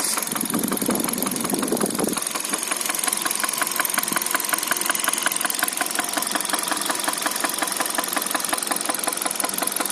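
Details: 2013 Hyundai Solaris, 140,000 km, at idle: steady, fairly regular metallic ticking nearly three per second. Top-end engine ticking; owner suspects a valve after the engine suffered oil starvation, unconfirmed.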